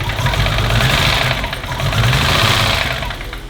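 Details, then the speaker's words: BMW E34 525 barn find, parked 10–15 years after head gasket failure, head refitted without lifter work: first runs after rebuild, uneven lumpy idle as if running on three cylinders, a bit tappy; owner suspects the lifters. Rough running, possible misfire. "Oh baby! It sounds like it's running on 3, but we'll take that as a victory, eh?"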